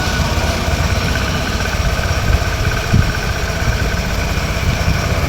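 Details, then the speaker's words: Yamaha Aerox scooter that only cranked and would not start after the CVT was opened, with check engine and CVT faults; after an initialize procedure alone it starts and idles with a steady, even putter. "So ayan na-automatic na rin nawala yung CPT then start na natin yan. Umandar na mga bossing."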